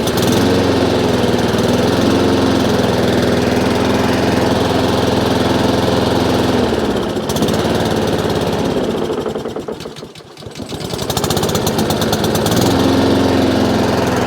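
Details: Honda IZY lawn mower after a fix for petrol leaking from the carburettor; the small single-cylinder chugs along steadily, sags briefly under load and recovers cleanly, running healthy.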